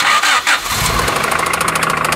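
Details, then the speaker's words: 200k-mile Honda Del Sol starting then running rough with fast sharp clatter, unstable idle, white exhaust smoke and check engine light on; blamed on bad piston return springs, with the head gasket and return springs replaced. "On peut entendre que ce moteur ne tourne pas bien, il claque, pas bon du tout"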